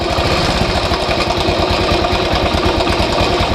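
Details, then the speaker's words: Hero Honda single-cylinder engine (the Splendor/Passion family engine) idling with a fast, steady metallic "kat-kat" rattle from a slack timing chain. The fix involves removing a 14 mm bolt on the engine. "और ये आवाज़ हमें गाड़ी चलाते समय बहुत इरिटेट करता है।"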